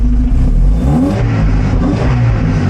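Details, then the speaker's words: 1975 Volvo 245 wagon 16-valve turbo resto-mod with LH2.2 injection: after replacing the bad air mass meter, engine picks up cleanly on throttle and revs smoothly with no stumble; wideband still reads oddly. "When you give a gas, how does it respond? Oh, so I guess that's what it's supposed to sound like."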